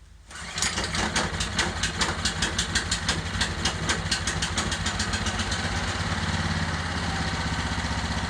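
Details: Genuine Honda engine on test cart before fitting to old Ariens Rocket RT 8020 rototiller, fuel on, choke on, new pull rope: quick pull start, then steady even single-cylinder putter; healthy.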